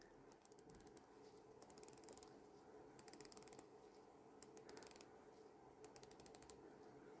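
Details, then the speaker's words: A refitted bezel on a Rolex Submariner 16610LV, pressed on, is turned to test it, giving short bursts of crisp, evenly spaced clicks with no grating; normal bezel ratchet clicks. "There you go. Did you hear that click? Now to test, we should hear a nice click from the bezel click."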